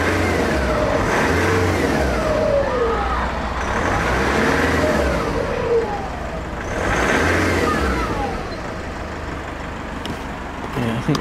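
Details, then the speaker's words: Engine after a new alternator, warmed about five minutes: repeated revs rise and fall smoothly with a light turbo whistle building on each, no belt squeal; turbo spooling normally. "now now finished here the turbo spool"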